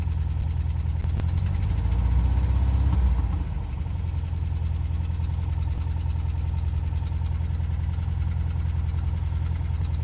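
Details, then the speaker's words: Van engine after a long crank to start, mic windscreen off. A lumpy drone with an uneven pulse of about three beats a second that swells on a brief rev, then settles rough: rough running with knocking. Oil is low; cause not confirmed. "Have you heard enough? Right. It sounds really bad."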